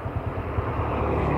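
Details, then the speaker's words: Honda Supra motorcycle after repeated cam chain and bushing replacements for rough engine noise, clutch adjusted; now a steady low idle rumble with no knocking or rattling; normal idle. "sudah bagus sekarang."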